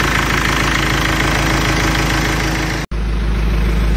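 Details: Mercedes W203 idling after a broken fan control cable (code P1636, radiator fan stuck at full speed) was bypassed with a wire. Smooth, even idle with a steady low beat, no misses, knocks or hunting.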